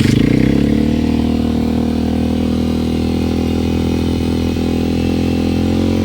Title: Honda XR150L Engine knocking problem, Anong Solusyon? #hondaxr150L #Enduro